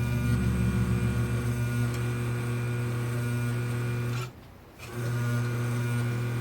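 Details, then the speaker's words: Vintage Pfaff sewing machine after a belt change caused squealing and dragging from a too-loose belt; clutch set screw and motor-mount belt-tension screw tightened. Now even motor hum, steady mechanism beat, no squeal; stops and restarts smoothly, running right. "I tightened up that clutch set screw and the screw on the machine that goes and holds the motor and tightens the belt, and then it started running right."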